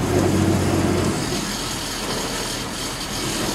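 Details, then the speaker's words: Wood-gas truck with carburetor removed, air control valve about half open, timing advanced: very slow even idle, roughly 200–300 rpm, soft low chuffs with sympathetic rattles; impossible on gasoline, showing clean gas. Normal slow idle. "various sympathetic rattels as we slow it way down go video that that's probably only 2-300 RPMs. This is not a possibility on gasoline."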